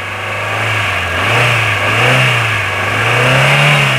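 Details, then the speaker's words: Hyundai Getz idling with a slack alternator drive belt squealing (xẹt xẹt) at low throttle; on revving, the engine swells smoothly and the belt noise disappears. Belt replacement planned. "Máy đại chất luôn, nhưng để chế độ ga MT thì nó kêu xẹt xẹt. Đấy, các bạn nghe thấy không? Mình sẽ chịu trách nhiệm hoàn chỉnh cái vấn đề đấy."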